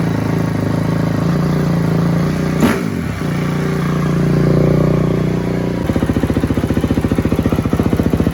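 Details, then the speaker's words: 2004 Honda CRF250 single-cylinder after rebuild, plugged carb pilot jet cleared with tip cleaner and ultrasonic cleaner: fires, revs briefly, then settles into an even steady thumping idle; carburetion clean. "so that was it guys plug pilot jet so uh that one's on me"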